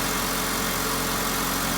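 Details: 2002 Honda Civic 1.7 L idling right after alternator replacement, charging at 14.3 V: steady, even hum with no knocks, ticks or whine; engine and charging system running normally.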